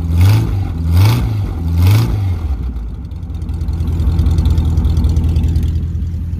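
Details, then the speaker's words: 1951 Pontiac Chieftain straight eight, first run after sitting for a long time, no radiator: three clean throttle blips, then an even low idle, with a bit of dark exhaust smoke. Probably running a little rich, but sounds healthy. "she was bit of bit of dark smoke there she's probably running a little rich but um we we had T it later on but sounds pretty beefy not going to lie it's it's not bad for straight eight"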